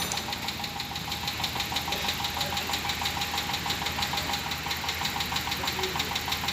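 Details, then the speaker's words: 2014 Dodge Durango after freeing and refitting a stuck fuel injector that caused a no-start: engine now runs, with a fast light ticking about three per second over it; noisy valve lifter. "Injector problem due to stucked up but there is sound in valve lifter there's sound"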